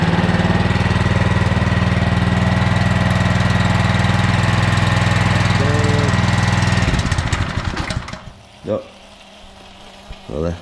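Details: Pressure washer small engine at lowest throttle setting with water on, cold: steady low idle for several seconds, then falters, slows and dies; idle had been stumbling, seems slightly better once warmed up.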